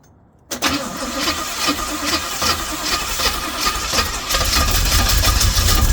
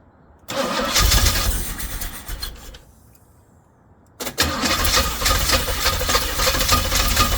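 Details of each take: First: Pink Jeep after distributor timing was advanced: silence, then the engine catches at once and settles into a fairly steady idle that firms up after a few seconds; antifreeze leaking from a bad gasket. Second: Jeep engine after timing changes for hard cranking: first start runs a couple of seconds then dies; restart runs loud and somewhat ragged without throttle, needing ignition advance by moving the distributor cap forward.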